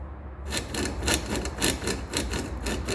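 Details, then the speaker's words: 1976 Corvette steering column lower bearing, heard at the bottom of the column as light steering input is given: a dry, rasping rub in short bursts about twice a second. The steering binds and is twitchy, and the bearing is being replaced. "that lower bearing in the column here doesn't seem to be any good okay so i ordered a new one"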